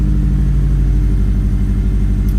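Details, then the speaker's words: Normal idle on a 2007 Subaru STI with Accessport v2 and 91-octane base map, low wastegate, no check engine lights: deep, even rumble with regular pulses, no ticking or knocking. Owner notes turbo seals starting to leak, with occasional oil at startup. "We'll start it up right here. Car fires right up. It runs good."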